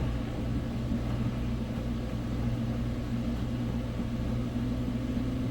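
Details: Samsung front-load washer after replacing all four shock absorbers, heavy load of wet towels on rinse and spin, high: steady low hum through the spin, little bouncing, no knocking or banging; normal spin cycle.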